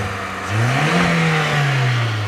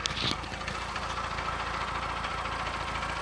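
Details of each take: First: 2001/2002 VW Polo 1.4 multi-point injection petrol, 88,000 miles: engine climbs smoothly on a quick blip and settles, slight chugging at idle but no tapping or knocking under rev; normal revving, no knock. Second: 2001/2002 VW Polo petrol, 88,000 miles, cam belt believed fitted: steady idle with light busy metallic rattle on top; owner unsure of source, maybe a loose exhaust heat shield, unconfirmed; engine rattle at idle.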